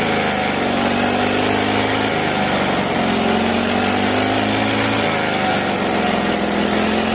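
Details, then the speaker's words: Two-stroke grass trimmer run dry, refilled, on a cold day: a high buzzy note dips and picks up under repeated throttle blips. It hesitates on acceleration from air in the fuel line, purged by throttle-and-release. "โอเคนะครับเราเร่งไปเรื่อยๆนะครับเร่งปล่อยเรปล่อยเร่งปล่อยนะครับเพื่อที่จะให้ให้น้ำมันมันไปไล่อากาศออกให้มันสกูดได้ปกตินะครับการไหลปกตินะครับ"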